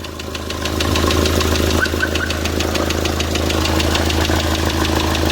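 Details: D4CB diesel knocking after break-in, revved and held: a fast, regular metallic tapping over the engine note, a clear internal knock whose cause is not confirmed.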